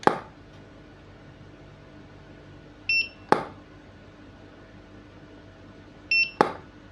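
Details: Godox DE300 studio flash after repair of weak output and no-fire faults: sharp flash pop, then short high two-tone recycle beep about three seconds later, repeating cleanly; working normally.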